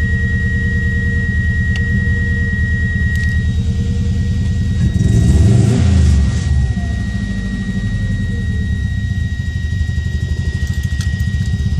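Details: Subaru Impreza misfiring at idle: uneven, stumbling idle with a loping beat of roughly three pulses a second under the engine rumble; owner suspects ignition coils or MAF sensor, unconfirmed.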